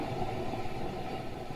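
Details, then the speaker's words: Old Jeep, unused over two years, with water in the front ends: low, gritty rumble as the hub is spun by hand from a worn wheel bearing due for replacement; other side is quieter. "that's the bearings that's not good"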